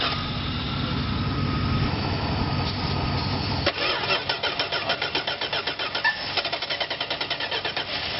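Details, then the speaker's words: 1971 Dodge Coronet revival using a 2013 donor battery: starter turns the engine with a slow, even chug of about four to five strokes a second and never catches; cause of the slow cranking unknown. "oing to use this to help crank it because for some reason this thing cranks really really slow we don't know why so let's get this going"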